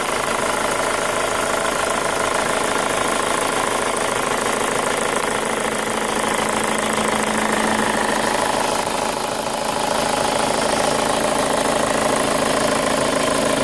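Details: 2005 Chevy Cobalt LS 2.2L with a P0304 cylinder 4 misfire code, idling: a light, quick top-end tick of roughly four a second over a steady idle; new since purchase, and the owner suspects a lifter, unconfirmed.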